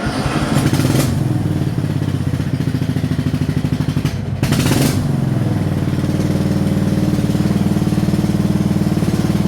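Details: 2007 Craftsman rear-engine rider mower, not run for about five years before repairs: small single-cylinder engine thumping steadily with an even beat under mowing load; sounds healthy.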